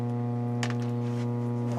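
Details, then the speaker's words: McIntosh MX110 (non-Z) tube preamp, volume up, RCA inputs unplugged: a steady low hum with a buzzy edge is unchanged, so the cause is inside the unit, a failing power-supply filter capacitor section. "it will make absolutely no difference so it's nothing on the input causing this is something within the unit itself"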